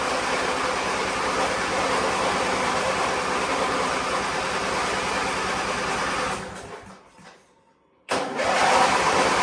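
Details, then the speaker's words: Weathered Wheel Horse GT-1600 Workhorse with a Briggs engine, on a remote gas tank and with choke applied: the starter cranks with even compression pulses but it never fires. The owner suspects no spark or no fuel reaching the engine. "well we ain't got nothing it don't even sound like it's sparking sound like it's trying to hit"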